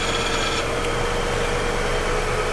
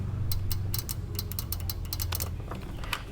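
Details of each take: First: 2012 Infiniti QX56 5.6L with P0088/P0090 high-pressure fuel pump codes, idling at 27 fuel pressure: thin ticking whine from high-pressure pump quiets abruptly when its control solenoid is energized. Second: 2012 Infiniti QX56 5.6L, engine off, high-pressure fuel pump solenoid tapped to battery power via test leads; sharp irregular clicks, while diagnosing P0088/P0090 codes after a replaced pump.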